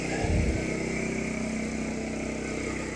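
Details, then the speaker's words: Champion 200961 2500-watt dual-fuel inverter generator, new, freshly oiled, running on propane at idle before load is added: steady, even drone with no misses, knocks or surging; normal idle. "Overall, pleased that it started up so quick. I'm gonna let it run for a little bit."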